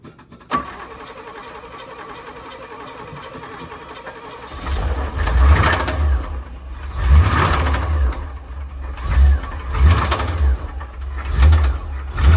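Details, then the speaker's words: Square-body Chevy dump truck small-block V8, oil found about 3/4 low and topped up, first start: catches, runs rough and surges with a low knock before dying; suspected rod bearing. "Everybody hear that knocking sound? And it died."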